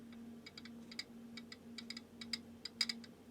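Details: Ampex VPR-3 VTR AST head drum turned slowly by hand, with no resistance or friction and no loose debris. Faint, uneven light mechanical clicks sound over a low mains hum, cause unknown.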